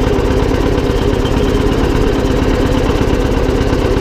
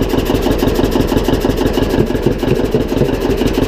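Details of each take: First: John Deere 720 two-cylinder diesel tractor, first running after repairs: steady, even idle chug with no knocks, clatter or driveline grinding; the earlier transmission noise has stopped; normal. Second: John Deere 720 two-cylinder diesel tractor running at about two beats a second, with a faint scraping hiss as the flywheel rubs slightly on its cover.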